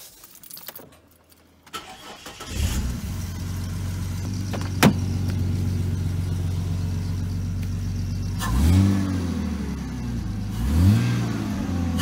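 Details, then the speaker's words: NA Barra turbo conversion after fitting coils, started before refitting intake piping, unloaded; cranks and catches to steady even idle, two clean throttle blips, no stumbling or missing; normal running, not yet tested under load. "everything sounds good we're not gonna know properly until we're under load so we'll chuck it all back together and take it for a spin"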